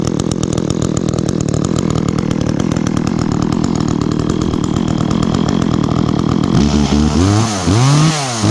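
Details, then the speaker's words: Echo chainsaw, chain worn from maple cutting, last run two or three weeks ago, started on choke after priming with chain brake on: even crisp idle putter, then quick clean revs without bogging; bar oil spews when revved, normal idle and revving. "definitely a good saw and as you can see there when I revved it some bar oil kind of spewed out there which is definitely what you want"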